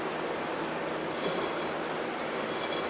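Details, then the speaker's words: Scotts 1642/1742 riding mower deck, long neglected: steady gritty whirring rattle as a spindle pulley spins freely, a worn dry bearing; all the pulleys are noisy and the belt is worn. "that sounds noisy for sure so is your other one boy this is like a full konchem the whole Orchestra singing here"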